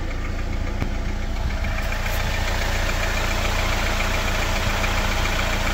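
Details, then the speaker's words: Jeep Wrangler JL 2.0, cold engine at idle, oil level at half: steady light tapping about three or four knocks a second over the engine rumble, gone once fully warmed after about 15 km; cold-start knock, source unknown. "И сейчас этого звука нет. Вот сейчас мотор работает идеально. То есть на холодную он действительно постукивает."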